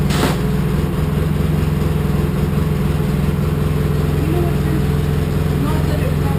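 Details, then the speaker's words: Polaris Sportsman 700 EFI ATV after a new Carter fuel pump replaced a failing one thought to be sending air into the fuel line: steady, even low putter at a constant idle. No stumbling, surging, gulping or starving. "it's running fabulously compared to what it ran like before smooth that right out it's not gulping starving"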